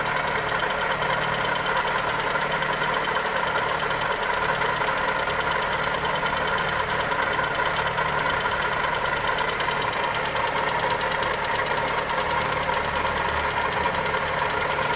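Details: Toyota 2E engine (Corolla EE90) at steady idle with fast, light ticking over a busy top end; knock or tick, cause not confirmed.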